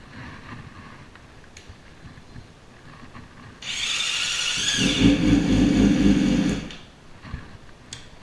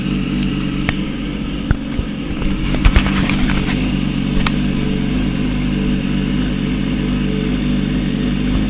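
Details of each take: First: Yamaha R6 (2006-16) track bike after a left-side crash: harsh high-pitched gear whir for about three seconds as the starter cranks, though it still starts and runs; likely starter clutch idle gear out of place behind the left stator cover. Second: Yamaha R6 (2006-16) after refitting the left stator cover with new gasket torqued to spec: a few light clicks, then steady even idle with no starter grinding. Normal start and idle.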